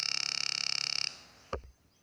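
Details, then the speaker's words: Two-transistor BJT positive-feedback oscillator for a burglar alarm, speaker connected in place of the LED: rapid, evenly pulsing buzzy high tone for a second, then cuts off with a thump; oscillator working normally. "We could convert these oscillations into a tone. So that when you connect a speaker like this, get a tone like this with the speaker in place of the LED."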